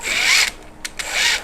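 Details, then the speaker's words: RC crawler Power Wagon with 3-channel Radio Master receiver, cogging issue: two sharp, raspy half-second bursts as the motor loads, gears skipping and chattering; owner suspects a loose pinion, to be checked by dropping the motor. "So it was acting like the pinion was loose. So I'm going to go ahead and drop this motor, and we're going to see if the pinion is indeed loose."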